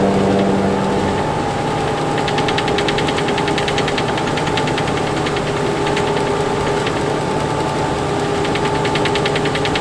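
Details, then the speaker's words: Freightliner truck 2118 diesel idling under a fast, tinny buzzing rattle that comes and goes; it seems to come from low in the cab rather than up in the cabinet area, source not found. "Maybe it's up in the cabinet area, but to me it sounds like it's down there. It's lower. Doesn't sound like it's up above."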